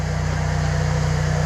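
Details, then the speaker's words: Antique Cummins 290 diesel for a Brockway project: deep, heavy, even churning with steady compression pulses, turning over slowly without firing; good oil pressure; owner suspects a poor battery hook-up. "you heard it crank over she ain't really cranking cranking over man"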